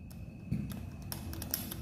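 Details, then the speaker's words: Honda Falcon motorcycle running: light, uneven tapping over a low idle rumble, sometimes stopping and sometimes continuing, from the decompressor actuator on the camshaft, whose small internal spring has lost its function. "olha ela vai fazendo esse barulho algumas para e outras não continua fazendo o barulho tá tem uma molinha aqui dentro tá que ela perde a função"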